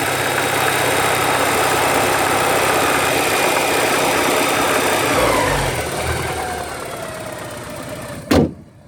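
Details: 1985 Porsche 944 petrol engine with an uneven knock at about three to four per second, appearing around 2,000 rpm and fading as revs drop before shutdown; owner suspects rod knock, not confirmed.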